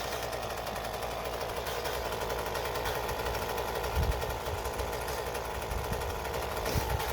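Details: 2007 Ryobi RY60520 25.4cc two-stroke rototiller, dump rescue, reassembled with air cleaner and shroud, sand-loaded for tilling demo: fast, even idle buzz with no stumbling or surging; normal idle.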